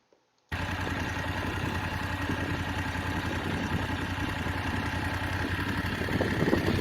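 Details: BMW F850GS motorcycle idling with a light, uneven tick over the beat. The owner says the ticking has been present since early ownership (about six weeks, roughly 1,500 miles) and is seeking an engine replacement under warranty. Exact part unclear.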